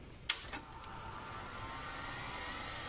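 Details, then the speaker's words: Macintosh Classic power-on after reseating a connection to fix the checkerboard screen, later confirmed a capacitor problem: sharp power-on click, then steady soft whir as fan and drive spin up and settle; normal startup. "Powering up, it seems okay."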